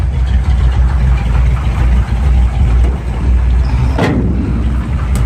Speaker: it runs nice and smooth got the you knower jet on it with Point still power steering power brakes that really runs nice and smooth